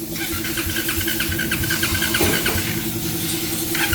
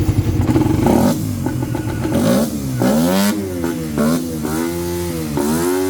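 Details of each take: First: Motorcycle that would not start: engine catches but runs roughly, stumbling briefly as it cuts in and out when the injector is moved; socket checked OK, intermittent injector connection suspected. Harness replacement and anti-corrosive contact spray advised. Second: Motorcycle that would not start, now fixed after troubleshooting electrical, fuel and compression; the cause was corrosion. Engine pulls cleanly through repeated rev blips, rising and falling smoothly with no misfire or knock; runs fine.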